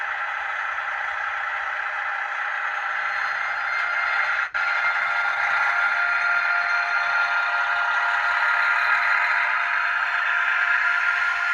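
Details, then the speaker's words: Digital sound model locomotive run on an analogue layout; thin high whine of both motors drifting upward with a brief dropout as it stops and restarts; motors straining on too little track voltage. "Et là, on entend les deux moteurs. Voilà, là, vous voyez, il n'y a pas assez de tension. Il s'est arrêté et il redémarre."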